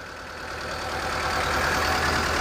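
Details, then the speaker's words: 2006 Mitsubishi Lancer with wasted-spark ignition, loss of power and hard starting: uneven, lumpy idle with a stumbling beat right after a hard start. A misfire, sounding real rough. "okay so it's a miss it should be simple right the vehicle is sounding real rough"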